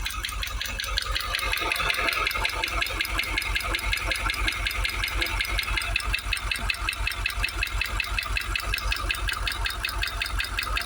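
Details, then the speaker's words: Supercharged V8 in a Jaguar XKR, warm after about 20 minutes running, idling with a steady sharp ticking knock of two or three beats a second. The supercharger is thought unlikely after a screwdriver stethoscope check, and timing chain is a suspected cause. "Right, so it's been running at it about 20 minutes. Still getting that knock. I don't think it is now the supercharger."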